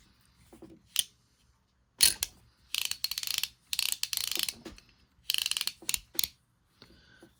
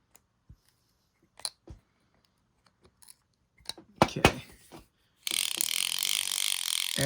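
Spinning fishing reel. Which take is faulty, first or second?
first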